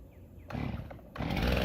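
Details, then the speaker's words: STIHL MS 391 chainsaw cold start, pulled on choke then switched to half choke: a couple of pulls, then it fires and settles quickly into a strong, even run, starting easily and healthily. "starts right up and it automatically goes to the Run not"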